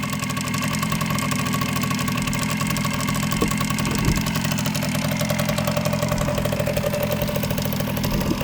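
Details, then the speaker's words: 1979 Kawasaki KM100 two-stroke with a failed oil injection pump bypassing oil, converted to electronic ignition: rough, stumbling, burbling idle, bogging because it is flooded after burning half a tank of oil. "he can burn it all out and and you hear how it has it taped a little bit fog and it's because it's so oil followed in there like I said it went through a half a tank of oil just sitting there"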